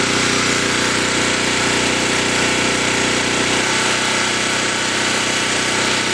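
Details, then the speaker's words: New portable camping petrol generator on first run, in rain, under about 50% load: loud steady drone with even beat, note settles slightly as load comes on and keeps pulling smoothly; normal running under load. "we should be able to tell by the about the change in the sound if it actually is producing power yes it"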